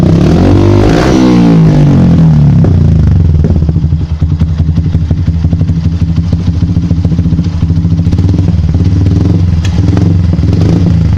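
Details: Yamaha Byson single-cylinder motorcycle at steady idle with irregular sharp exhaust pops and crackles several a second, persisting even after the air-injection hose was blocked; afterfire cause unknown.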